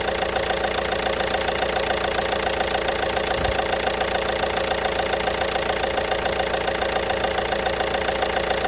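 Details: 1.5 BlueHDi (DV5RC) diesel at steady idle with sharp, even knocking about three or four times a second; engine knock, source not pinned down.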